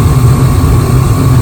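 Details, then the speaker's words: Gas furnace that was blowing cold air, after breaker reset, panel off: steady even low roar with faint constant hum, no flutter or banging; burners lit, gas and heat present, normal. "so we've got gas and we've got heat."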